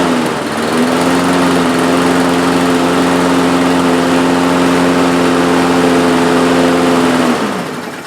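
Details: Two-year-old DeWalt mower with Briggs & Stratton engine, cold start the day after repairs, choke plate now closing properly; fires immediately and holds a steady, even drone for about six seconds, healthy running.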